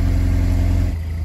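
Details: Pontiac Solstice GXP SCCA T2 Championship Edition that would not crank, now running after blown fuses traced to the BCM; gauges and RPM not working: low steady idle, smooth even pulse, no stumbling; normal idle.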